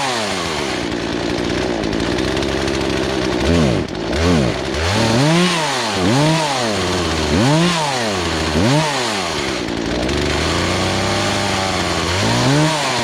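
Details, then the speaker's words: Poulan Pro two-stroke chainsaw that sat three years, high-speed carb screw adjusted counter-clockwise as owner suspects fuel starvation: revs climb and fall with each blip, some pickups stumbling and sagging before catching; bogging on acceleration. "uh you don't want to be too lean or too too rich so normally with the throttle response you can see how sometimes it was bogging down you want to get it to a spot where it reacts quickly has a good response"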